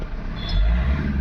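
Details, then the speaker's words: MG Hector that cranked but wouldn't start, suspected faulty fuel pump, started manually without scanning: steady, even low diesel rumble with no knocks or misses, smooth settled idle; running normally. "यहां पे करते हैं engine को start. तो engine start हो गया।"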